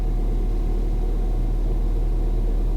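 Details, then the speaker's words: Ford Fiesta ST, just started after fitting a replacement ECU to cure a previous misfire: low, even idle rumble with no stumbles or uneven beats; runs perfectly smooth, no misfire. "it's not misfiring are you joking is this real it's not misfired it's perfectly smooth"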